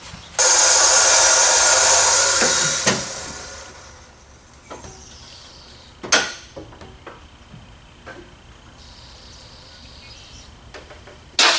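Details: 1974 Chevy Caprice, built turbo LS, new Holley 12-1800 dual fuel pump replacing 360 LPH Aeromotive: steady high-pitched hiss-whir for about two seconds then eases off, no fuel leaks, fuel pressure shown; pump priming normally.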